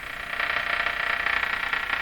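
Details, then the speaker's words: Canadian Westinghouse Model 684 tube radio on shortwave after alignment: only a steady hiss with a faint flutter and no station heard, as SW output is very low. Cause unconfirmed; it is unclear whether the oscillator is even running. "Calling CQ. That's just pretty darn dead, isn't it? That's dead."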